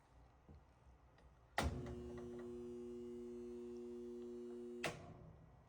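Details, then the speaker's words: Whirlpool/Roper washer on drain and spin: motor hums steadily for about three seconds but never spins; something is jammed in the drain pump. "The humming is because there's something in the pump, so we're going to deal with that."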